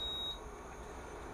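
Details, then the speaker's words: Induction cooktop with aluminium pot placed on it; one short high-pitched beep then low fan hum as the stove won't detect aluminium and shows its error; induction cooktop no-pan-detected error. "kita gunakan ini jadi tidak akan terbaca pemirsa masih tetap eo ya"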